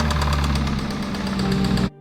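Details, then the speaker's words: 2021 Range Rover SVR V8, used replacement engine bought for the salvage rebuild; rough running with a fast, steady metallic tapping over the low rumble: bottom end gone, rod knock from worn rod bearings. "A parte inferior já era. Já era."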